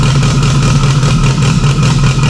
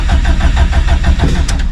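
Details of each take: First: Freshly installed stock OEM Subaru EJ257 longblock in an 1100+whp STI, first start with a fuel leak under the intake manifold. It holds a steady, uniform deep rumble with no knocks, misses or ticks; normal healthy idle. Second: Stock EJ257 longblock STI drag car cranking at 66° on a cold morning; mechanical fuel pump with no lift pump, so fuel pressure builds slowly; starter churns in quick even pulses, about six a second, hard starting.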